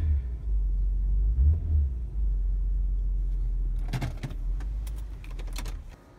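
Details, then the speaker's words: 2002 Nissan Maxima GLE after replacing broken front electric engine mount with new Marmon Ride Control unit: revved, deep even rumble, resonance way down, mount no longer bottoms out and bangs; engine runs super smooth. "the resonance is way down and now when i wing it up the engine mount doesn't bottom out and bang inside the compartment super smooth"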